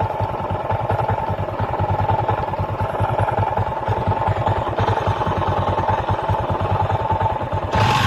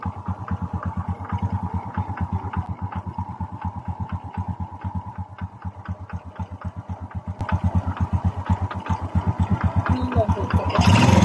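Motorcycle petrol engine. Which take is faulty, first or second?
first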